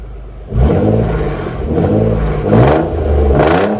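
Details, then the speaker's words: Nissan 300ZX twin turbo running after sitting a long time, with perfect idle and some ticking: crisp, clean throttle blips rising and falling evenly with no misses; deep, healthy exhaust note. "I love how that sounds I don't know about you guys but I've always liked that sound not the ticking but the exhaust always sounds really good on these on these twin turbos"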